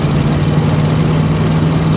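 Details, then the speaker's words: 1979 Ford E250 camper van, big-block, after rebuilding the Holley 4180 four-barrel carb, on a back road: deep steady roar with firm low drone under load and road noise; strong clean pull, more pickup than before. "it's lot of power in this thing it's a big block right as they say no replacement for cubic displacement"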